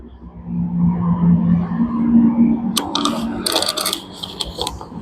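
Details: Single-door Super General mini fridge compressor running normally with a steady low hum and some metallic clicks, after a burnt PTC starter that had caused ticking and no running was bypassed by joining wires.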